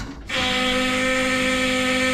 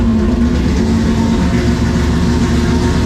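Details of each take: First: Key-on of an LS2 converted to a Haltech Rebel LS ECU, replacing a Holley Sniper 2: steady, fairly loud electric fuel pump whine while priming; fuel pressure problems on track suspected, new Summit pump hoped to fix them. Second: LS2-based former carbureted stock car, Holley Sniper 2 replaced by Haltech Rebel LS, loud fuel pump: cold start in garage catches instantly and settles to a loud steady deep idle; starts much easier than before.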